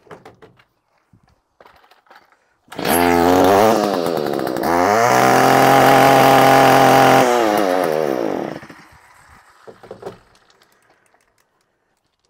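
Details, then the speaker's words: Stihl FS 55R string trimmer, after a new carburetor and with the clogged spark arrestor removed, which fixed the bogging: fires up, revs to a clean, steady high buzz without stumbling, drops back to idle; normal running at full throttle. "perfectly with the spark arrestor removed. I looked at that spark arrestor, it was all filled up."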